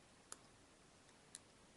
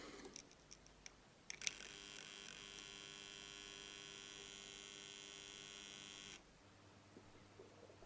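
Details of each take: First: Hand-wound transformer after being soaked with epoxy resin, hardener and solvent and left to dry: quiet room, no mains hum, just two faint clicks; the hum is gone. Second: Hand-wound mains transformer giving a steady, harsh buzz for about five seconds after a few clicks, before repair; the hum is from its windings, and the fix is impregnating it with epoxy and solvent.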